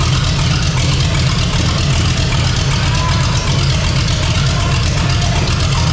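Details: 454 big-block V8 in a Civic, first run on temporary systems, new out-of-box carburetor: deep, steady rumble, even and unbroken; normal idle.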